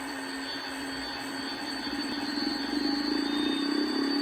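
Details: Pfeiffer TMU-1001P turbomolecular pump: steady high whine with faint rising tone near end, no clear grinding or rumble; owner suspects bad bearing, unconfirmed.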